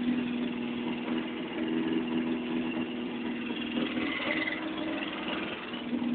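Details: After repair: steady, even idle with a smooth mid-pitched hum and no knocks or misses; the engine sounds healthy.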